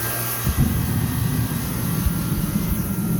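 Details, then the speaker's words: Old John Deere kerosene turbine forced-air heater running on waste oil with gasoline, top split open to vent: steady low roar with slightly uneven throb, seems to burn cleaner with less flame; running normally. "It seems to be, it seems to burn a little cleaner if I let that vent, so to speak. And yeah, it seems to flame less."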